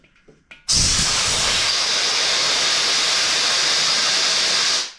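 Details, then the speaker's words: Curb-found Porter Cable pancake air compressor: a loud, steady hiss of tank air for about four seconds, fading as the tank empties through the tank drain, whose missing drain valve/plug was the fault. Air leak at tank drain. "So, you can hear the the air rushing out that's in the tank."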